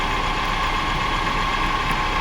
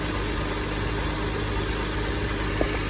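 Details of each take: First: 2005 BMW X5 idling, before repair: steady gravelly growl with a faint ring from the A/C compressor pulley bearings; A/C itself works and blows cold. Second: 2005 BMW X5 idling after replacing the A/C compressor bearings, pressure testing, vacuuming and recharging: smooth, steady accessory hum, no growl from the compressor pulley; normal.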